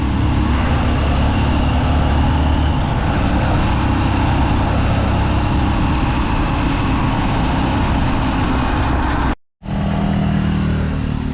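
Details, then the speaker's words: Honda Supremo motorcycle road test after new parts: steady engine drone and wind rush with no chain slap or rattle. The former chain noise is gone and the drive runs smooth. "Ang ganda na lang takbo niya. So wala na yung ingay ng kadena. Pinong-pinaw na yung takbo niya mga idol. Hindi na siya maingay."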